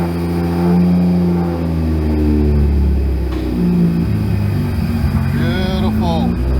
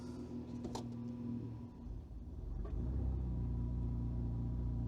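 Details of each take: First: Car on a newly wired ECU Master Classic ECU, after freeing a stuck idle control valve and refitting it: engine catches and settles into a steady, even idle with no hunting or stalling; idle control working, normal idle. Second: Car with automatic on an ECU Master Classic ECU, idling about 800 rpm by ECU, coolant possibly a little cold: idle sags and stumbles for a second as gear is selected, then recovers to about 600 rpm.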